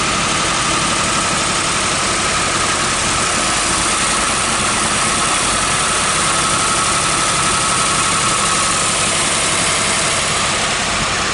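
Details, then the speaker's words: Barn-find 1968 Buick Riviera GS V8 first running after ten years stored: busy metallic top-end clatter at idle, lifters rattling because oil isn't reaching the top of the engine; not smoking. "Well, we don't want to let it run for long because I can hear the lifters rattling. Which is telling you what? Needs oil? It's telling me it's not getting oil to the top of the engine."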